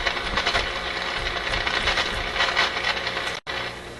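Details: RCA Victor A24 vacuum tube radio during shortwave alignment: irregular scratchy crackles burst over the output, then the sound briefly cuts out. This intermittent fault seems not to be physical. The owner suspects a switch contact, a tube or a capacitor; unconfirmed.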